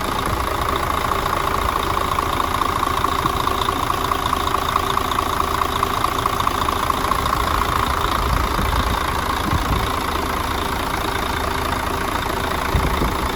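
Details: Mercedes Axor OM457 diesel, first start after full rebuild for abnormal engine knocks, fuel bled and filters replaced: big diesel idles steady and even with usual injector clatter, no odd knock; healthy.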